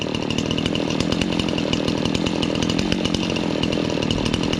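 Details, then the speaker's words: Restored Stihl 026 chainsaw after carburetor cleaning and idle adjustment: small two-stroke buzzing at steady, even idle with no stumbling or surging; normal idle, running well. "There, idle. That sounds pretty good."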